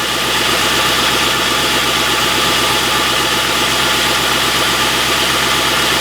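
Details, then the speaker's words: Ex-police Ford Crown Victoria P71 at cold idle on a frosty morning, hood open: busy, rattly top end with a faint repeating knock from one side, strong only right after a cold start and much weaker later; cause unclear. "you can really hear it strongly only when it's cold Only right after starting Then you can hear the knocking too, but much weaker"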